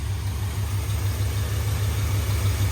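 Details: 1978 Ford F-350 parked 11 years, running on an electric fuel pump with new plug wires: steady low even V8 idle rumble with no misses, idle settling slightly lower; small fuel leak remains.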